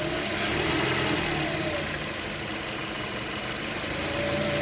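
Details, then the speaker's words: Toyota Voxy after replacing alternator with worn variable pulley, plus new battery (battery light had been on): smooth, even idle, soft regular beat, no whine, rattle or knock; noise gone. "trocou alternador novo bateria nova também aí ó zou acabou o problema Acabou o barulho funcionando"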